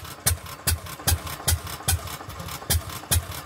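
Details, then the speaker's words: Fairbanks-Morse 208 oilfield engine on a pumping unit, just switched to magneto ignition, unit unbalanced: sharp metallic clangs two or three times a second over a low engine thud. The clang seems to be in the saddle; rust seen between beam and saddle; not confirmed. "this will be a keep an eye on deal but I'm pretty sure the camera caught that banging clang noise she wasn't doing it now she is and then she"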